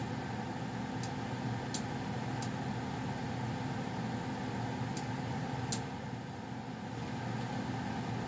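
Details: Goodman gas furnace around shutdown (owner notes popping at shutoff): steady, unchanging low burner and blower roar with only a few faint ticks; running normally.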